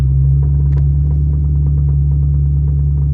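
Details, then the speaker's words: Car at idle and revs after driving, exhaust hot: deep rumble with faint light ticks about three per second; the exhaust is rubbing on the chassis and can be felt through the floorboard. "I just got out of work and the exhaust is rubbing on the chassis again. So I think it got hot and it settled back into where it was before because it's rubbing just as bad as it was."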